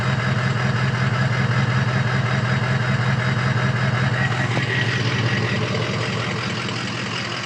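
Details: Diesel idling with an uneven, lumpy beat, about two and a half pulses a second; owner suspects injector stiction or bad injectors, cause not confirmed.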